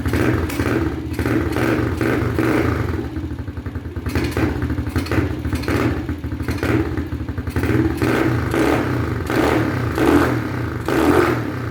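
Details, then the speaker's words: XPRO Hawk 150cc pit bike after swapping the restrictive stock airbox for a NIBBI Racing high-flow air cleaner: small single barks into life and blips through the throttle, clean and crisp, no misfire or rattle; runs healthy. "But let's fire it up, man. Let's fire it up real quick. I'll just see what it sounds like with a couple of T-pulls, man."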